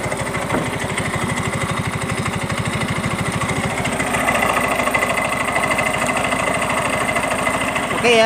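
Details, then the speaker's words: Yamaha Mio M3 125 scooter with a rough noise complaint blamed on missing CVT grease: tek-tek metallic clatter over the engine beat during light throttle blips, heard at the CVT case and fan; worn CVT pulley splines indicated. "Di bagian bak CVT-nya di sini, ya, bunyi tek tek tek tek juga, ya. Oke, dari bak mesin sudah kedengaran."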